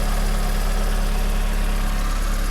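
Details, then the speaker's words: 1991 VW Passat B3 1.8 petrol after distributor cap replacement (it misfired before): a steady, even low idle with no stumbles or skipped beats; running fine. "слышно звук мотора всё прекрасно работает"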